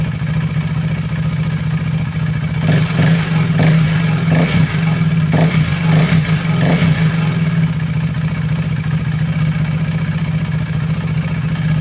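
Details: KTM Duke 390 V2 after repair, camshafts (intake and exhaust) and two rocker arms replaced, valve clearances in spec (previous fault: gasket maker blocking head oil passage); smooth idle and clean throttle blips with no metallic ticking: normal revving.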